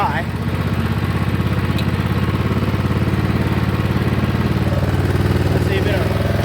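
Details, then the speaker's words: 2004 Husqvarna yard tractor that sat since 2014, PTO engaged with a mini jump box attached: the engine drones heavily and bogs down, about to die. The owner suspects low battery voltage for the PTO and possibly running out of fuel. Engine bogging under load. "but it sounds like it's about to kill the battery now we vog it down we're going to shut that off this sounds like it's about to just die"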